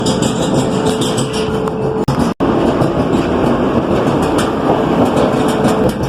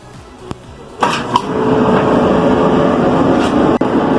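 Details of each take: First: Clothes dryer that still heats and dries runs with a loud, rough rumbling drone and steady hum; cause is a seized drum support roller (pulley wheel holding the drum), which must be replaced. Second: Dryer after replacing the seized drum support pulley and cleaning and lubricating the other pulley: starts with a clunk, then an even, quiet hum with no squeal or thumping; the noise is gone.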